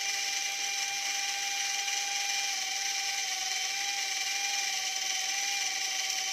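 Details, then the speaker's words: E88 Pro toy drone opened up because one propeller would not spin; thin steady high whine near 800 Hz over hissy buzzing as the small motor runs but keeps quitting, controls feel heavy, it spun earlier and now fails intermittently. "Tadi berhasil, teman-teman. Mengapa sekarang tidak bisa berfungsi? Tadi benda itu berputar."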